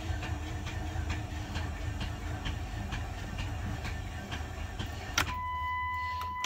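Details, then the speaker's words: 1998 Dodge Intrepid 2.7, sitting nine years and reportedly using oil before it was parked: starter churns with a steady, laboured two to three beats a second and never catches; suspected broken timing chain or belt; abnormal cranking, no start. "sounds uh not very good if you ask me"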